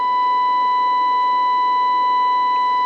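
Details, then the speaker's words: Midland 13-510A VHF transceiver under repair, 16.9 MHz FM signal fed into the IF input past the RF amplifier; clean steady tone, no crackle or dropouts: IF-through-audio-to-speaker chain good. "here you can hear the uh the output here so output 16.9 mahz input to the if out of the RF amplifier and by bracketing that that tells me I'm good all the way from the output of the RF amp to the the speaker"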